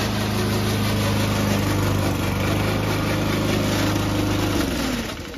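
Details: Old Toro Recycler single-cylinder mower cutting Kentucky bluegrass, binaural recording: a steady drone with a rough, rattly drive-system clatter, then the engine winds down. The noise was later solved with WD40.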